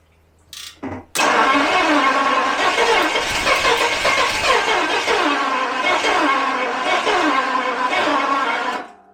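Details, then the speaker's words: 1977 Daimler Double Six V12 coupe, sitting since 1982, after priming fuel with injector flooding suspected: starter churns unevenly for several seconds and it almost catches but never fires; fuel pressure, battery charge or trigger board suspected, not confirmed. "Really almost wants to."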